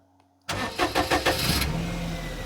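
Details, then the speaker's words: Perodua Kenari after refitting idle control valve, first start while cold: catches after a few quick cranks and settles at a fairly fast, even idle that seems a little high; high idle when cold. "that seems a little high but uh she is um showing cold at the moment"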